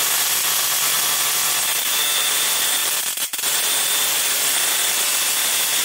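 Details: 555-timer ignition coil driver/tester on a 7 Ah sealed lead-acid battery, gap separated a little, close-up: a steady, hissy crackling spark buzz with one brief dropout; the coil fires consistently.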